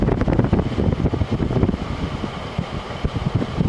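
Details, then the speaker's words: 2001 GE Quiet Aire air conditioner after fan motor bearing replacement, fan reassembled with cover off: spins up with a soft low whoosh and a few light thumps, no grinding or squeal; fan motor running normally. "let's see fan to the left that sounds pretty good i was a little worried because i thought it sounded kind of noisy before you know i put the fan blades at all on it but i guess that's normal yeah this definitely sounds good"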